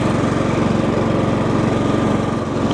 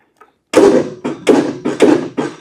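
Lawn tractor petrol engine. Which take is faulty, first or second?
second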